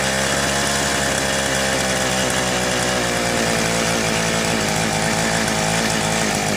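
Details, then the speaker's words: Southland two-stroke post hole auger, new fuel lines fitted, runs only on choke, smoky, long warm-up, best at half choke. Buzzy drone that wavers and stumbles; rough running, new carburetor suspected to be needed. "Alright, I can choke the thing out when I push the primer, and it seems to want to run best about halfway choke."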